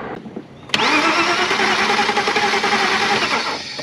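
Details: 1993/94 BMW 325i E36 with the M50 Vanos engine and a crank-no-start fault; fuse 18 for the fuel pump has power while cranking. The starter whirs steadily for about three seconds but the engine never fires.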